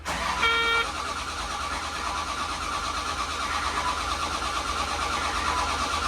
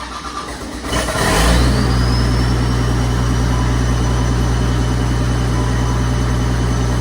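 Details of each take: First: Caterpillar 930G loader diesel starting after a missing engine ground wire was fixed and both ECMs were restored. After a short beep it jumps straight to a loud, steady full-throttle roar because the throttle pedal was hung. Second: Cat 930G loader diesel, reportedly freshly rebuilt, with what looks like a VP44-style pump, after fixing a bad ground wire and a hung throttle pedal: cranks, catches and settles into a steady even run, revving cleanly; starts and runs normally.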